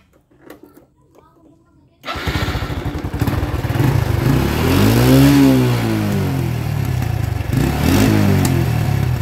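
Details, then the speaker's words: Honda Revo Absolute motorcycle started and throttle blipped: sharp exhaust pops as the throttle closes, backfiring on deceleration; listed possible causes are worn spark plug/gap, leaking carburetor diaphragm, or a faulty CO2 hose. "ada keluhan Revo Absolute knalpotnya nembak-nembak saat dilakukan penegasan atau saat turun gas knalpotnya motor ini nembak-nembak ya"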